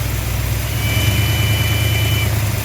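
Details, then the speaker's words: Dodge Dart V8 with a Thermoquad carburetor: low idle, then a thin, high sucking whistle that rises briefly and fades at light part throttle, inaudible at steady running; owner suspects a vacuum leak at the primary throttle shaft. "so you can't hear it when it's just running you can't even hear it when like you're like going down the road it's like a part throttle you just barely get on the"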